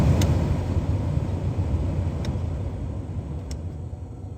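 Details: Ford EL Falcon heater/demister fan after fan resistor replacement: steady low rush of air with no squeal, rattle or ticking, easing off slightly; blower runs smoothly on top speed.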